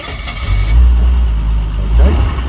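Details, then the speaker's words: 50-year-old Triumph 2500S six, cold start on choke after over two years in storage, fuel pump primed first: brief cranking, then catches and settles into a low, fairly even run with a small swell; starts cleanly. "that seemed to work yes good"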